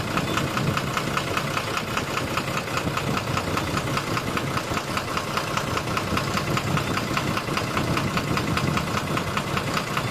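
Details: 12-M FE engine at steady idle with a regular light knock about two to three times a second; engine knocking, cause not yet known.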